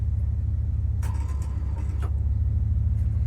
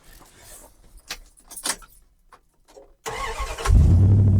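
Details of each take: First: Ford Econoline 100 van on a budget revival, distributor just installed and timed, gas poured in carburetor, small battery: steady low starter churn with even cranking pulse but engine never fires; crank no-start, cause unknown. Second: Old Dodge truck, worn-out engine: rattling, short crank, then catches into steady even idle, still sounds good; normal start and idle.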